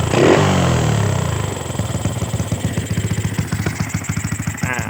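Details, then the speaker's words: Honda Wave 125R (2014) scooter with N-Pro carburetor, used bike for sale: starts easily, settles from a blip to an even quick putter at idle with no knocks or rattles; normal idle. "อ่ะรถสตาร์ทติดง่ายนะครับพี่เดี๋ยวติดนะเดินเบาปกตินะครับ"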